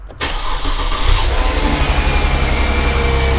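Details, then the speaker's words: 2005 Mercedes CLK320 with the M112 V6, after starter replacement for a no-start. A short crank catches at once into a smooth, even idle with the secondary air pump running; slight possible idler pulley or tensioner noise. "the engine is fairly smooth I can hear maybe the idler pulley or tensioner slight noise but nothing crazy"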